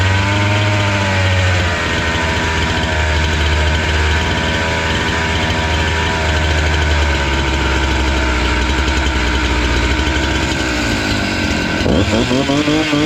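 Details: Husqvarna 268 two-stroke chainsaw that stalled once warm, after the carburetor screws were set to about two to two-and-a-half turns open. Steady buzzing idle holds an even pitch for several seconds, with a brief blip near the end; idles cleanly.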